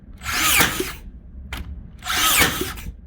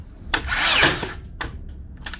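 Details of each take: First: Makita DBN600 cordless finish nailer that misfired and didn't fully sink nails, after greasing in place of new O-rings: five sharp clean firing bursts about two seconds apart; every nail fired, big improvement, though one jammed. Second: Makita DBN600 cordless second-fix finishing nailer whirs and snaps through its cycle but no nail-driving crack follows; blank firing, piston suspected not returning far enough, not confirmed.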